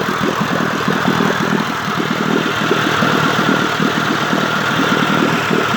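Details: 1958 Evinrude 18HP Fastwin two-stroke outboard with replacement power head, new rings, crankpin needle bearings and NGK B6S plugs, running in water on a heavy 30-weight oil mix after mixture and synchronization adjustment: busy, rapid burble holding steady with no misses or knocks; smooth idle.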